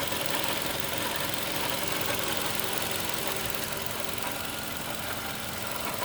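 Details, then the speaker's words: 2012 Toyota Camry petrol engine idling steadily with a light, fast rattle over its hum. It is described as coming from the right side of the engine, later as the left side. The engine otherwise sounds fine and the cause is unclear. "the engine sounds good but there is a rattling noise that's what i'm thinking there is no issues or problem with the car but i just hear that annoying noise"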